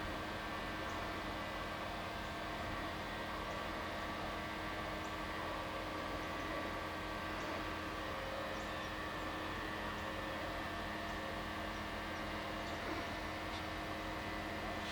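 A constant, even buzz with steady tones sits unchanged throughout, like machinery humming at a fixed speed; the source isn't clear.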